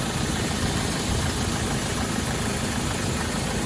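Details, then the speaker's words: Land Rover Defender 110 2.2 TDCi, lifted and highly modified, engine warm, idling: steady, even low diesel rumble, no knocks, rattles or misses, aircon compressor audibly cutting in and out; healthy idle. "But as you can see, it's not making any funny noises. You can hear the aircon compressor cutting in and out."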